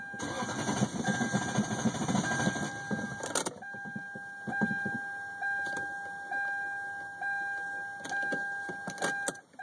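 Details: 1998 Lexus LS400 that died on the highway, battery terminals, fuses and relay checked fine: rhythmic starter churning for about three seconds never catches, then a warning chime and clicks; cranks but won't start, cause unknown.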